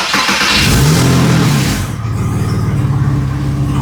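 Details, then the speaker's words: Porsche 986 Boxster: engine fires and revs, then drops to a smooth idle with no whine. Heard after adding power steering fluid and turning the wheel left and right, which fully fixed the power steering pump whine. "Oh, look at that. No wine. That's crazy. That fully fixed it."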